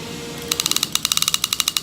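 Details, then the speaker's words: 2014 Okuma Solterra SLR-15CS lever-drag conventional reel, freshly greased, spooled with 65lb braid and 40lb mono top shot, drag set; clicker engaged, about eighteen crisp regular clicks in just over a second; normal reel clicker. "So what we're gonna do now is I'm gonna put on the clicker."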